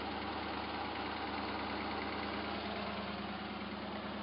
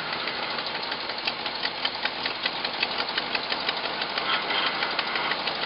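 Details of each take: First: Hot-rodded V8 Jeep J7 rock crawler, at normal operating temperature: smooth, even idle with a steady low burble and no misfire, running on all eight; the carburetor secondaries need tightening. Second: Hot-rodded Jeep J-7 rock crawler, V8 with an Edelbrock intake, first real run, cold idle, 55 psi oil pressure: sharp fast ticking over the exhaust note, steady at idle, from a terrible exhaust leak; the idle itself is good.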